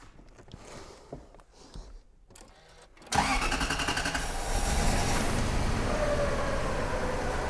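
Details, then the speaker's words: Subaru BRZ with swapped Toyota UZ V8 on Haltech ECU: a few clicks, then an uneven loping idle stumbling on one cylinder; spark tester shows no light, so that ignition coil is bad and is swapped. "So, that's telling me the coil's bad. Okay, let's swap a coil. So, that coil is not firing. That's our problem."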